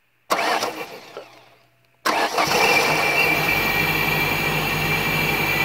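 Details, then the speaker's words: 1991-95 Ford Escort LX, starter tested from the cooling fan relay terminal. Short burst, pause, then steady whirring crank with rhythmic chug near three per second; normal. "also from here what we can do is we can test the starter but that's not all that we can do"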